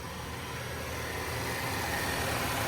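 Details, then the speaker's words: Wrecked 2020 Volvo involved in a police pursuit, first start after crash, fired straight up; quiet even idle hum with no knocks or uneven beats; engine running cleanly and healthy. "Oh, and that sounds sweet. That sounds absolutely sweet."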